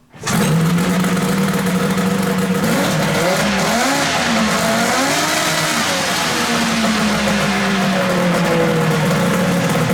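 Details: Polaris XLT 600 two-stroke snowmobile engine in a 4WD mini lifted muscle car project (Polaris gearbox and front diff), running for the first time. It revs sharply up and down, crisp and even with no misses or rattles, and sounds healthy.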